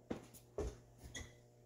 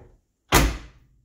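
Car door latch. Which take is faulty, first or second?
first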